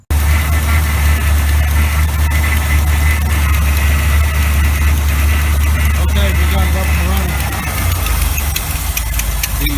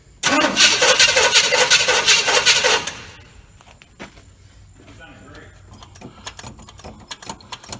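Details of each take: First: 1986 GMC truck with a swapped-in 400 small block V8, just started after starter installation and refueling, idle run up. Steady deep burble at fast idle, briefly dipping then recovering, no knocks or misses: normal fast idle. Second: 1986 GMC truck with a swapped-in 400 small block, carburetted, choke on, after starter repositioning. About three seconds of fast, even cranking that never catches, then silence: no-start because it was out of fuel; it fired right up once refueled.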